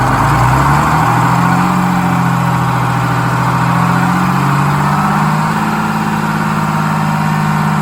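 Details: GM 4104 bus diesel, warm after test drive, following transmission swap, new clutch, rear main seal and resealed valve cover gasket: deep, even idle with steady low drone, no knocks or misses; healthy warm idle.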